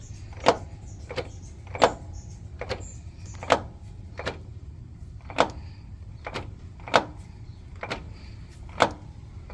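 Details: Toyota Sienna with sharp, separate knocks about once a second over a quiet background; owner suspects transmission, source unclear.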